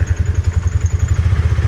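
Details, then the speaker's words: 2018 Polaris Ranger 570, 322 hours and 2,500 miles, steady low engine thump with no clicking as reverse engages cleanly after repairing stripped transmission reverse gears and detent. "there's reverse. Went right in, no clicking like it used to do, and no hunting for reverse for a minute or two. It goes right in."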